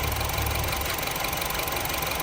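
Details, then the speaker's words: Honda City running gas and petrol, engine shaking, limited to 2,000 rpm and 40 km/h with flashing check-engine light: rough, uneven lumpy idle; misfire caused by a failed ignition coil, battery also weak. "คันนี้ปัญหาเกิดจากนะครับคอยล์จุดระเบิดเสียนะฮะเลยทำให้เครื่องยนต์สั่นแล้วไฟรูปเครื่องยนต์กระพริบนะครับ"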